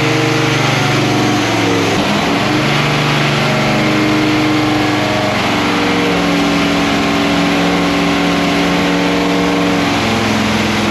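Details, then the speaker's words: Freshly built 408 ci small-block Chevy with a Quadrajet on the dyno, with a timing curve loaded, idling during its initial run-in and meant to have a mild stock-like idle; smooth, steady low V8 idle with an even mild lope, no misses; normal. "all right so part of this whole project sleeper is having an idol that doesn't alarm the neighborhood check this out I think that's pretty sneaky don't y'all"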